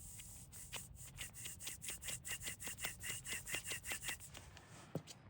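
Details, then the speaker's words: 2005 Subaru Outback removed front passenger wheel bearing spun by hand: gritty rasp pulsing two to three times a second, massively different from the new bearing; worn bearing. "It's a little bit of a noticeable difference in sound, too. >> Massive. >> Yeah. >> So, that's not what it's supposed to sound like."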